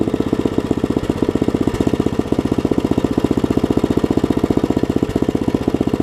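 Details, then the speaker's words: Craftsman 17-inch rear-tine tiller, 5hp horizontal Briggs, probably 90s, stored years with empty tank: after cleaning, new carb diaphragm and carb screw adjustment, steady even low-speed putter with no misses or knocks; runs healthy, super small fuel leak. "I just adjusted the screw out there a little bit listen to that thing run now things are amazing a super small fuel leak and that's it we go"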